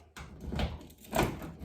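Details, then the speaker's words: 1995 Nissan D21 truck manual door lock, after cleaning and lubricating a previously stuck lock: two clean clunks as the lock is locked and opened, no grinding, scraping or hesitation; lock works freely. "So I can lock it and I can open it. Lock it, open."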